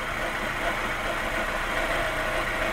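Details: Fiat, warm engine at idle after a timing belt change: a constant raspy, scratchy hiss rides over the engine, like something rubbing near the timing belt; it occurs only when hot at idle, and its cause is unknown.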